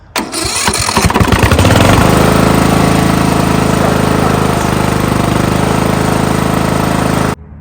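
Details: Old Craftsman riding lawnmower found sitting in a pasture, after swapping in a charged battery from another mower: a brisk one-second crank, then it catches and settles into a steady, even idle before shutting off. A healthy start.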